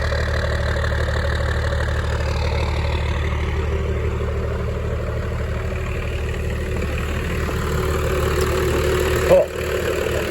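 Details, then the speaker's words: 1996 Dodge Ram 2500 with 12-valve Cummins diesel, just started cold after sitting seven years, fuel primed via the lift pump, about 77 lb oil pressure: steady even clatter, smooth deep rumble, no misses; normal cold idle. "all right we got fuel going to the injectors wow yeah little walk this is super exciting all right so is running pretty smooth for being"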